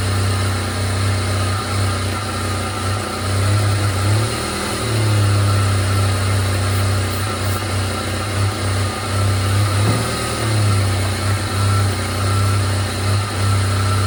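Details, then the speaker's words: $600 Jeep TJ warming up after ignition tune-up (plugs, wires, cap, rotor, coil, idle air control sensor), with a stored code: idle sags and catches irregularly, still missing; owner suspects gummed injectors from bad gas or MAP sensor. "Um, other than that, maybe the MAP sensor, but after that point, kind of at a at a loss there for why it would be missing."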